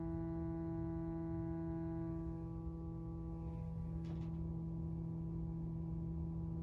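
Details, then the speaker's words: Stryker 955 CB radio with V6 EQ, channel 20 (27.205 MHz), about 2.5 W dead key: steady humming tone with buzzy layer while keyed, then brief break and glitch; intermittent interference, prior faulty repair suspected. "Yeah, same issues. Some type of intermittent fucking interference there."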